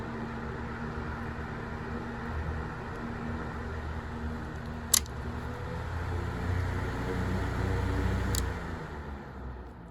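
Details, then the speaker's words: 1970s Sears (Lasko) 9-inch portable fan, model 453.8100, drawing 0.9 amps. It has new pads and only the front bearing is lubricated. On low it hums smoothly and evenly with faint soft ticking. "sometimes that sounds pretty cool too just going from low to high and we'll do a high speed spin down's pretty good"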